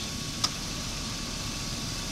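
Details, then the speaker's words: 2000 Chevy Suburban, R-134a A/C recharge with system low: one sharp click over steady idle as compressor clutch engages, idle stays smooth; gauge still drops low, more refrigerant needed. "and you can hear it click on that's when the compressor kicks on and the compressor still takes it down low"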